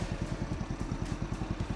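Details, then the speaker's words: Walmart gas kids' tractor, after jump start and long cranking, idling with a soft quick even putter and low thumping, no knocks; very quiet, only exhaust smoke showed it running, smoking somewhat like a two-stroke. "This thing is so quiet. The only reason I knew it was running is because smoke was coming out of the exhaust."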